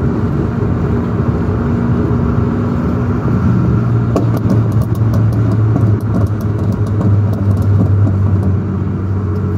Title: Sports car loud rattling and making pop pop sounds like the engine is about to fall out